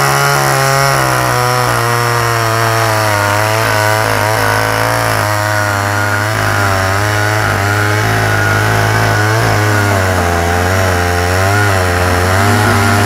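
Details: Canadian-built Homelite Super Mini two-stroke chainsaw, guessed late 1970s–early 1980s, after new-old-stock oil pump fitted, dull unsharpened skip-tooth chain: steady buzz, revving up and down cleanly with no misfire or rattle; normal running.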